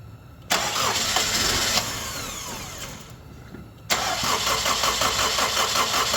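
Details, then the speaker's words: Honda CR-V with a bad coolant temperature sensor connected: steady fast cranking for about three seconds, a pause, then more cranking with no catch. Extended crank no-start from the faulty coolant temperature sensor. "okay so right now it has the bad sensor connected and this is what it did"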